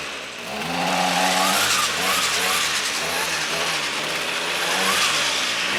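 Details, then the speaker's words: Discarded Ryobi two-stroke string trimmer with compression and spark, after stale fuel was drained and replaced with fresh: high raspy whine that wavers and surges; running uneven, fuel suspected, carburetor likely needs cleaning or replacement. "[Music] okay well it runs so we got spark we got compression fuel is the issue"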